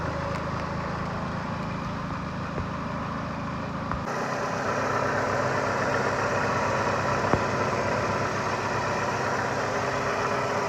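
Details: Chrysler Voyager/Dodge Caravan 2.4 EDZ petrol, 151 hp, A604 automatic: dull, uneven idle knock about three a second from underneath near cylinder 4 at the engine-gearbox joint; rod bearings fine, balance-shaft chain stretched, but the flexplate was cracked around its crank bolts and was replaced.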